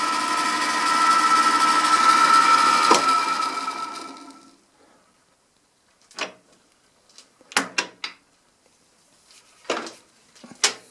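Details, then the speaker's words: Ariston spindle after scraping in the front bearing, not yet run in: smooth, even whirr with no rattle that winds down and stops, then light taps; sounds much more pleasant; normal spindle run. "aber so hört sich das ganze schon viel angenehmer an"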